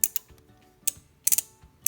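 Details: Air conditioner compressor relay tested by applying voltage across its coil: sharp dry clicks, single and in quick pairs; relay now switching, though it first didn't click and sparked, possibly stuck and freed.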